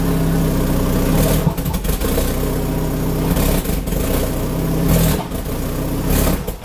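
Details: Citroën engine whose camshafts don't suit the ECU; revs rise and fall unevenly with rough, lumpy dips and a loud roar at the exhaust manifold; live data normal, catalyst checked; incorrect camshafts.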